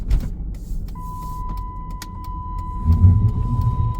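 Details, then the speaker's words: 2008 Chrysler Town and Country minivan while driving: road rumble with a steady chime, then a sudden low surge as the brakes grab on turning; false ABS and traction control activation from a faulty steering angle sensor. "You hear that? And the car just slowed down because it's slamming the brakes."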